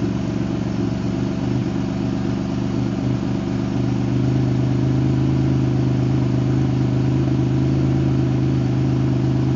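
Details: L67 engine with raised idle, revised timing table and exhaust leaks fixed: steady, even low hum with a small lift in revs, no ticking or puffing; smooth, healthy idle.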